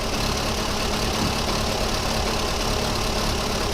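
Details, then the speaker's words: VW Polo 1.4 16-valve petrol car at cold idle runs roughly, its low beat uneven and stumbling. Hydrocarbons are high, suggesting a fueling issue, and the ECU likely cut fuel to a misfiring cylinder. "and then it's going into its funky Behavior so what we got to be careful of is if it does cut the cylinder the fuel on that cylinder which is probably what's happened"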